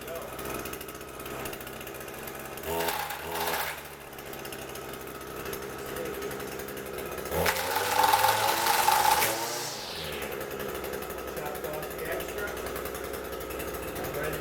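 Small two-stroke buzzing steadily off choke, line whirring and clipping in short bursts; trimmer runs normally.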